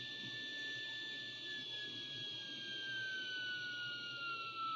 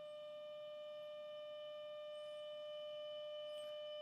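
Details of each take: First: Braun T1000CD receiver, BFO alignment with a 455 kHz carrier fed in: clean whistle beat tone slides steadily lower as the BFO is tuned toward the IF frequency, then rises again when tuned past it. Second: Braun T1000CD receiver, AM IF alignment with a 455 kHz carrier, 30% modulated 600 Hz tone, fed at about 40 mV: steady clean 600 Hz tone from the speaker; IF stage passes the signal properly.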